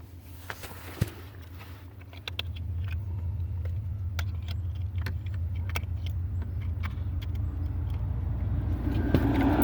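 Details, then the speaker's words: 1994 Honda Accord that cut out and wouldn't restart, after replacing relay under dash by brake pedal: catches and settles into steady even idle; normal start and idle. "all right that's not like it start right up"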